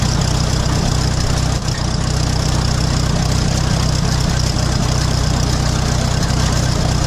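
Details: 1966 806 diesel tractor with a Gehl one-row corn chopper, waiting before work; it idles low and lumpy with a loping uneven beat of about three per second under a steady rumble. The owner says it smooths out once powered up and working.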